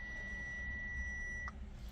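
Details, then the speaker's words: Fiat 500e, dealer-diagnosed stator temperature sensor fault, after broken wire in connector bypassed with temporary resistor setup: single steady high beep about 1.5 s as car comes to ready; normal. "let's see what happens if we try to start the car look at that it says it's in"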